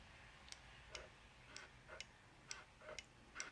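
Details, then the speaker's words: 2016 Ducati Diavel front brake lever micro switch, engine off, while brake light stuck on (later traced to that switch's wiring): crisp light clicks about every half second as lever is worked; switch clicking normally. "I said, well, absolutely no idea why that would be. I may have been resting my fingers on the front brake just in case I needed to stop really quickly, but I'm fully aware of when I might be operating the switch. You can hear the micro switch operate."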